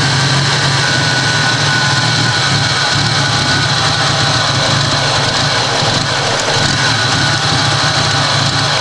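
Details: Toyota Supra engine idling with a lumpy, uneven pulse and no clean rhythm; very rough idle, cause unknown.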